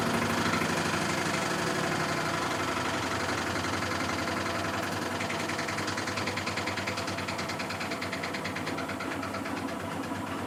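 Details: Miele Softtronic W6544 washing machine with a loose drum: constant rough rumble with a rattling knock two or three times a second as the drum turns; cracked drum spider, though bearing damage had been suspected.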